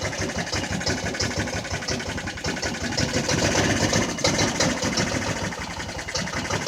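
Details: Jonway Xpressway 250cc scooter that wouldn't start at all, after first repairs: uneven, stumbling idle with irregular firing and surging loudness, barely holding on; cause still unclear.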